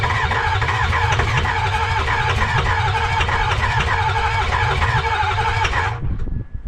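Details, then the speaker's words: 2005 Ford F-250 with a newly installed 6.0 Powerstroke diesel, no turbo fitted, first start attempt: steady starter cranking about three pulses a second over heavy low rumble, then stops without clearly catching. "So what we're gonna do now is we're gonna see if we can turn it on and see how it runs. So we'll go ahead and crank it up and see what she does."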